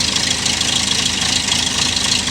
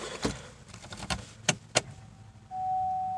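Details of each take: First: Chevrolet Malibu with P0016/P0017 cam/crank correlation codes, running on a cold, snowy day. Rough, ragged, unhappy idle that sounds worse outside by the engine. Jumped timing chain. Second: Chevrolet Malibu that stumbled, sputtered and stalled while driving and then cranked without starting, with a weak battery: a steady whir at key-on for a couple of seconds as the fuel pump primes, suggesting fuel may not be the issue. Normal fuel pump prime.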